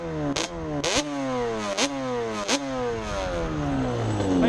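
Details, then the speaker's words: Yamaha Banshee (100hp build) revving with crisp, clean throttle blips and no bogging or misfire, after a new Dynatech CDI, new wiring harness, new OEM flywheel, new reeds and a bigger pilot jet. It had previously coughed when given gas; it now revs out healthy. "Seems to be doing alright, so let's go. See how much it smokes with the bigger pilot."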